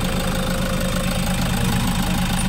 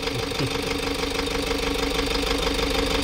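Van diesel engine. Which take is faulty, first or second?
second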